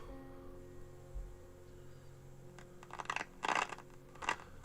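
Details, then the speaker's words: Harrier WT2 handheld CB radio with broken antenna, transmitting: low hum then irregular harsh crackling bursts; very crackly audio, cause uncertain, dry joint or dirty volume control suspected; cuts in and out. "it is very very very crackly and it's transmitting"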